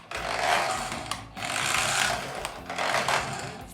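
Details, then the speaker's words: Toy RC Porsche 911 a few hours old, with broken gears: buzzy rough whine surging with throttle and gritty rattle, like a cheap lawn mower trying to start; stripped gearbox gears. "Sounds like a cheap bang good lawn mower trying to start."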